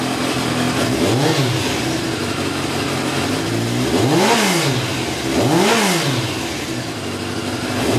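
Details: Motorcycle engine after its carburetor pilot jets were cleaned with hypodermic needles, started on choke and then run off choke: three clean blips dropping back to a steady idle, no stumble or stall. Normal free revving.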